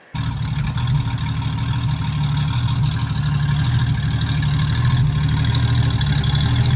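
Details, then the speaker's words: Ford 200 inline six with Holley Sniper 2300 2V EFI, new exhaust and relocated O2 sensor, at idle: a low, steady idle with a faint lumpy, uneven pulse; still slightly rough, which the relocation didn't cure, and smoother in gear under load. "um didn't improve the idle quality at all i thought maybe moving the o2 would um it's still verbally a little bit but i think that's just kind of how it's always going to be"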